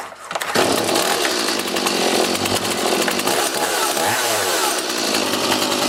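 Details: Stihl MS180C chainsaw with Easy2Start, after pull cord replacement, started on choke: fires after a short pull, dips once, then holds a high steady buzzing run with no stumbling; runs healthy.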